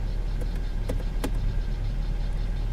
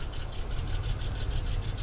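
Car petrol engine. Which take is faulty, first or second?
second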